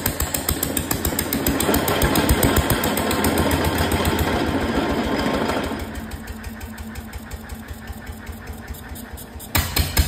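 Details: 1925 National 5V petrol/paraffin engine, first run in decades, with fuel, cooling and governor not yet set and no exhaust fitted: loud, quick, uneven exhaust beats at about 2.5 per second, then quieter; rough-running untuned engine.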